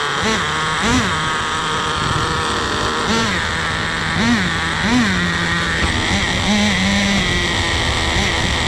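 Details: Turbo nitro RC car: buzzy revs rise and sag unevenly, then bog and die; sizzling heard afterwards. Owner suspects too much fuel (running rich).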